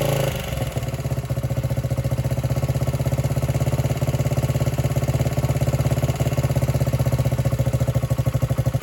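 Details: 1978 Honda XR75 single, first run since about 1989 after restoration; thumps unevenly at idle, wavering beat and pulsing level; would not idle or drive well, low on power; timing and compression checked; cause was carburetor needle clip in wrong position.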